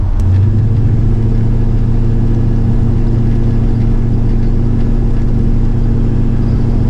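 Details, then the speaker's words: 1985 Chevy C10 with Blueprint 350 V8, suspected vacuum leak, mixture screws about 3/4 open: deep steady burble with no misses, idling low around 500–600 rpm; won't rise without changing mixture or heavily advancing timing. "Just to give you an idea, I'm going to stop it. It's idling right about 500-600. This thing loves to idle at 500."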